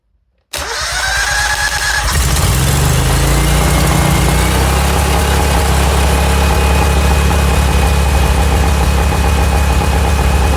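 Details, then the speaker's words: Honda GX630 engine fires and immediately runs at a loud, steady flat-out roar, never settling to idle. The governor will not move and feels solid once running, though it is free when stopped: stuck at full throttle. "As you just saw, as soon as you fire this engine up, we are stuck on flat out. Doesn't matter where you move. You can't move the governor. It's solid."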